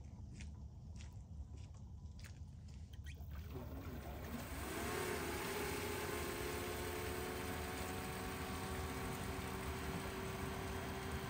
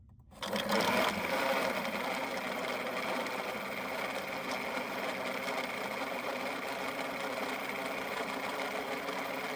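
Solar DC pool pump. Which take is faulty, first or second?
second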